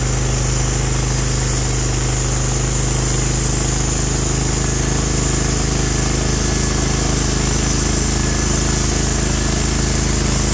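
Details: Norwood HD36v2 bandsaw mill, day two testing new roller guides that replaced the ceramic guides, slabbing big black oak through bark at about 24 in wide: the engine holds a steady, even drone under load with no surging, knocking or squeal; the cut was clean, flat and effortless.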